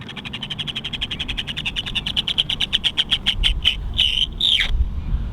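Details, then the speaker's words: Stock HPI Jumpshot MT Flux on a 2S LiPo: a sharp rhythmic chatter speeds up with throttle, then breaks into harsh skips as the pinion jumps the spur gear. The motor had shifted and run hot, leaving no drive. "that sounds like the motor has shifted as the motor shifted i think oh geez and the motors kind of hot too"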